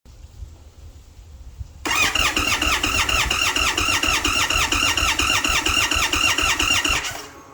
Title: HARD START INDIAN SPORT CHIEF PART 1